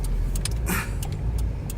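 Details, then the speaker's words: 2001–04 Chevy Optra on a right turn after CV axle replacement: steady road and engine rumble with no clunking; clunk was traced to a CV axle thought broken or wiggling, with torn boot, not the strut. "Okay, I'll turn right. Oh wow. I don't hear any clunking sounds anymore."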